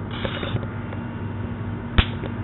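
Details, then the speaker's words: HVAC run capacitor test, charged then terminals shorted: one sharp snap over a steady low hum, showing the capacitor holds charge and is good. "you hear that that's a working capacitor that's what you want"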